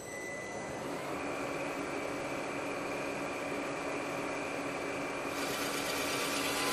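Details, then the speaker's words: Rottler boring bar boring an engine cylinder to 4.025 inches completely through the bottom, school machine shop: steady motor hum with a constant high hiss of cutting, even with no chatter; normal bore. "We're going to bore completely through the bottom of the cylinder, and then we're going to set the bottom stop over here on the left side of the column."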